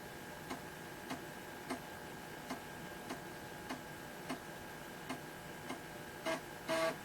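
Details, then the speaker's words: Toshiba T1000 laptop on a weak battery, after the floppy disk drive was repaired: even ticks about every 0.6 s over a faint hum, then a short buzzy seek. The drive is reading the disk normally. "all right let's just try this as you can hear the disk drive is definitely working again"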